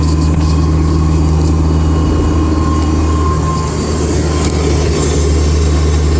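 Steady engine and road drone while cruising, with a thin constant whine riding on top, pointing to the diff or gearbox.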